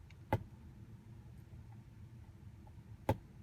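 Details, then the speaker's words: 2022 Tesla Model Y rear view mirror trim after adding gasket material around its perimeter and reseating: two finger taps land clean with no buzz or rattle; mirror noise fixed. "you hear that you don't hear anything that's the point Tesla that's all you had to do"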